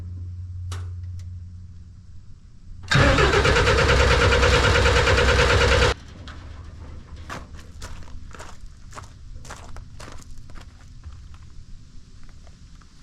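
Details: Snowcat turbo diesel first start after bleeding the fuel system. Starter cranks steadily about three seconds but never fires. No-start because the fuel pump fuse was missing.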